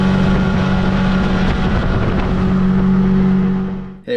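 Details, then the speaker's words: Tracker by Mercury Marine Force 50 hp two-stroke outboard after throttle cable and carburetor linkage adjustment so the butterfly fully opens: steady, even low drone with no stumbles or surging, no hesitation at full throttle, planing sooner; normal running. "just from a sound perspective the boat sounds like it's running a lot smoother and especially at that full throttle there was no hesitation"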